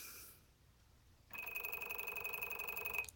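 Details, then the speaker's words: FMS FW 190 RC plane on a Spektrum DX7s: thin high-pitched buzz with rapid clicking as the brushless motor stutters and twitches instead of spooling up; owner suspects bad ESC or motor. "hear it clicking in there and if I if I tap a little bit it'll actually twitch like that uh not sure what's going on here"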